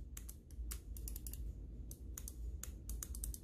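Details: Cooler Master MM710 mouse after the post-travel and wobble fix: quick, sharp, clean clicks, about eighteen in a few seconds, crisp with almost no post travel. Any faint rattle would come from the zip-tie heads added in the front.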